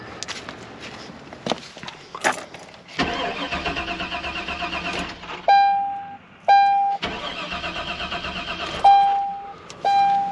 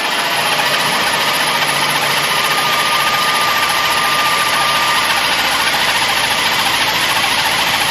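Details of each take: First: Chevy at 0° cold that started earlier then wouldn't refire, gas smell present: two long cranking bursts with chimes between, engine never fires; crank no start. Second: Chevy no-start at 0° fixed by moving a faulty connector: engine settles into steady idle with even hiss, no stumbling or knocking; starts and runs normally, check engine light still on.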